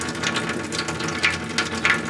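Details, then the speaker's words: Well-pump cabin whose plumbing was blown out with an air compressor for winter, refilling while a 40–50 gallon water heater fills, aerator removed: irregular, choppy spitting of water and air. Faucet sputtering from air in the lines. "It's gonna spit and sputter and do all kinds of bad stuff. There's water flowing already."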